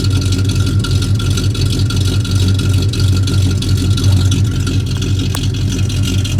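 Steady low truck idle with a fast, uneven puffing tick riding on it, about three per second, typical of a leaking exhaust joint.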